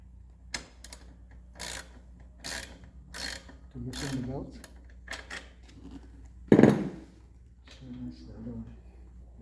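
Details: Carbon Blue Schwinn spin bike: rhythmic scraping grinds, a little over one per second with each pedal stroke, over a low steady hum.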